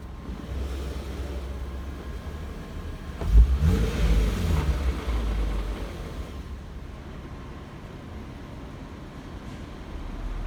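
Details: Infiniti G37 in park at low idle: loose, uneven rattle down low, triggered by low-rpm vibration, swelling on a brief blip; caused by faulty catalytic converters.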